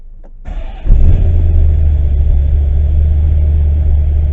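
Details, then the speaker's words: Corvette V8 with FAST EFI 2.0 starting: brief crank, then the engine catches cleanly and settles into a deep, steady, lopey idle from the performance camshaft; a healthy start. "All right, so I'm going to start it up now."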